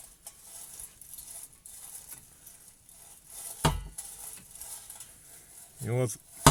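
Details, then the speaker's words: Lada Vesta SW Cross at about 50,000 km, exhaust hanging crooked: quiet scraping, then two sharp metal bangs as the muffler is rocked into the body beam; the mounting cushions are intact, so the muffler knocks because it hangs skewed. "глушитель вот так вот бомбит вот об эту балку когда он стучит"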